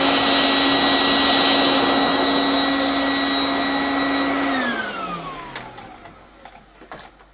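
Smooth, steady high motor whine holds even, then winds down cleanly after switch-off with no rattle or scrape: a healthy vacuum motor.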